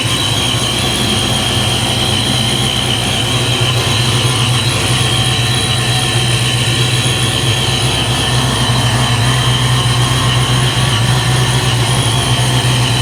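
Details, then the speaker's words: Supercharged 347 V8 Foxbody Mustang, dead cold after high-volume oil pump swap: steady, even low rumble, no knocking or ticking, cold idle around 530 with 35–40 psi oil pressure and pressure light out; healthy cold idle. "he's alive 3540 PSI pressure light out here cold idle at 530 with a high volume pump there we're dead cold still and we're just going to let it warm up"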